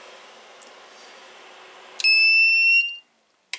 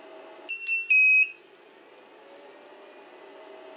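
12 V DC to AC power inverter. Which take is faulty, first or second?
second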